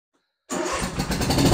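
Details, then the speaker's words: John Deere Z465 zero-turn with Kawasaki V-twin, previously sputtering on one cylinder after running out of gas; after carburetor clean, tank cleaned, new fuel lines and spark plugs: catches and runs strong and even, both cylinders firing. "okay we got the carburetor all back together again we cleaned out the tank put new fuel lines on it and new spark plugs should run like a Top Again I hope"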